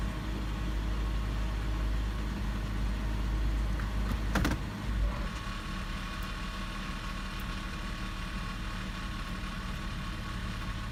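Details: 2006 Toyota 4Runner SR5 4.0L V6 2WD idling in drive: low uneven rattle under the hum, gone in park, reverse or neutral; slightly turning the wheel amplifies the rattle.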